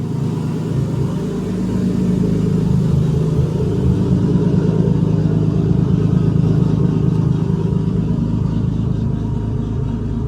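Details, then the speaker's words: RB25 drift car just fitted with a Nissan Sentra idle air control valve and new stretched hose: starts and settles into an even but slightly fast idle that hangs up; idle still a little high and needs adjusting. "still a little bit High I need to adjust the idle"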